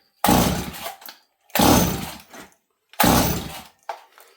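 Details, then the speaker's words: Stihl 026 chainsaw, blue spark confirmed, seems to be getting fuel: three rope pulls turn it over with only a cranking rasp and no firing pop; cranks but won't start. "so the weird thing is about this s this time is it seems to be getting fuel but it hasn't popped off yet I don't hear it fire"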